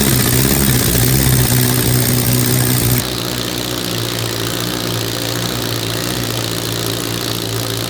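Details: Billet four-rotor rotary engine on open headers, fired by an Adaptronic M6000 ECU, idling by itself at first start: loud, choppy but even rasping idle that holds without hunting; stable, healthy normal idle.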